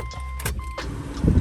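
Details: Subaru relocated aftermarket washer reservoir pump, temporarily wired into the plug for a test; thin steady motor whine with a brief break then fluid spraying, pump works though one nozzle seems faulty.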